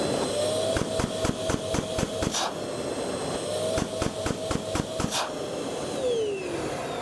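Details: Bosch GAS 35 L/M/H wet-dry vacuum during automatic filter cleaning, where a flap reverses pressure onto the filter: steady vacuum whine with bursts of sharp rapid clacks, about four per second, while suction continues; normal operation.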